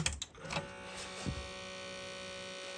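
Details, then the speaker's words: Akai GX-R88 auto-reverse cassette deck powered on, display dead: thin steady electric whir that never stops, the mode motor running continuously; to be stopped by ejecting manually via the mode wheel. "okay no display again we've got the mode motor running so what I'm going to do right now is I'm going to eject manually to get that to shut up"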